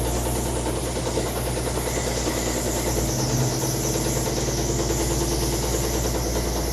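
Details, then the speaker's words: GMC 2-ton tanker truck, believed 1957, abandoned 40+ years, first running: dense uneven rumble with irregular beat at steady revs; running rough, cause not yet clear. "Man, that sounds bad."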